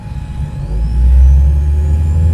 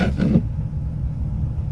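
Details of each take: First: Car speakers pick up a thin alternator whine over heavy engine rumble with the engine running, rising in pitch as the throttle is pressed; silent with the engine off, fixed with a noise suppressor filter. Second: Car engine idling without the gas pedal pressed, after a noise suppressor is connected with interconnect cables to cure alternator whine in the speakers: only a low, steady engine rumble, with no hum or whine over it.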